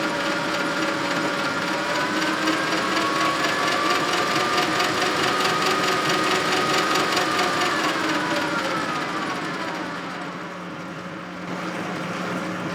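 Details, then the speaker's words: Old Rockwell lathe pressed back into service, quick-change gearbox on its highest setting: steady running whine with a rapid clatter about twice a second from the Reeves variable-speed drive. "most of the clanking you hear is coming from the Reeves Drive and I have the quick change gear box set on the highest setting which is not normal but I just want to get everything"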